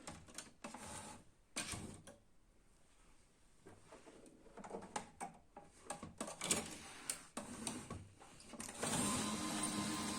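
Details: Canon i-SENSYS MF4410 printer after replacing failed DC 24V main motor RM1-7624 that would not start: clicks and short mechanism whirrs, then smooth steady motor run with no grinding; printer works normally.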